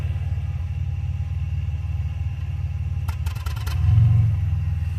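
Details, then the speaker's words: 2005 Chevy Impala with existing transmission issues; rough idle with sharp pops then surging swell, lights dimming, low fuel/electrical warning shown; owner suspects low fuel. "Oh man, the lights went real dim on it. Surging."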